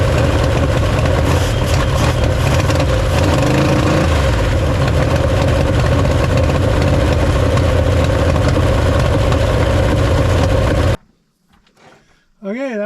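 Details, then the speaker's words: Mopar first start in five or six years after a carb cleaning, Holley square-bore carb on a spread-bore Performer intake, started by filling the float bowl manually, vacuum leak suspected: loud, deep, uneven choppy rumble; exhaust sounds in rough shape. "sounds like my exhaust is in pretty rough shape but the engine started and she run well"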